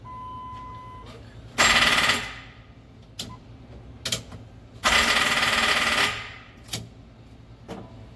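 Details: SRT-4 engine in a drift truck, first test start using the SRT fuel pump and a temporary intake; two harsh bursts of fast rattling chatter on cranking with no catch; cause not yet known.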